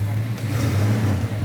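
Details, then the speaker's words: Restored 1972 Dodge Charger Rallye V8 after complete restoration with reconditioned radiator, new AC condenser, replica original hoses; throttle blipped, deep even rumble holding steady with smooth revs, no knocks or misses; said to sound good: normal revving. "I think it sounds good. It does sound good, yeah."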